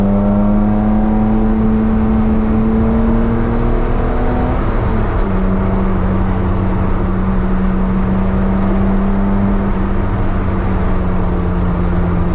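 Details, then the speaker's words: Datsun 240Z with brand new triple Weber carburetors, on a short drive: strong steady engine drone pulling smoothly up through the revs, dipping briefly at a gear change, then settling clean with no misses or knocks; engine runs well. "I think that was just a quick drive just to give you a bit of a sound bite see what it sounds like I'm quite impressed I'm quite happy"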